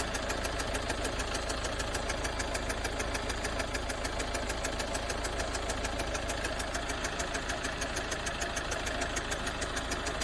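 Fast, regular ticking about three per second rides over a steady idle; there is an abnormal engine noise, but the cause is unclear.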